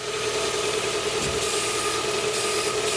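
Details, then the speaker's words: 2010 Hyundai Tucson 2.0 16-valve manual idling steadily with the steering at full lock and no belt squeal after the belt was retensioned; the power steering pump had locked the belt and made it squeal. Problem solved. "bom não trava mais não canta mais problema resolvido"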